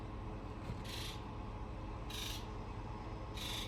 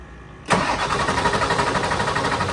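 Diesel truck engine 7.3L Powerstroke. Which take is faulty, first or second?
second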